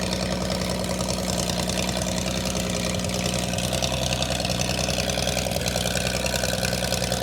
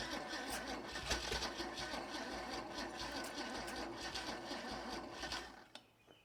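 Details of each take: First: Holden red motor 173 ci (2.8 L) six, about 1971, ex-Bedford CF van, first run after years laid up: steady, even idle with low regular thrum, no knocks or misses; running smoothly. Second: Holden red motor 173 ci (2.8 L) six, about 1971, ex-Bedford CF van, unrun for years, fuel tipped into carburettor: uneven, labouring cranking about three turns a second fading out as the battery goes flat.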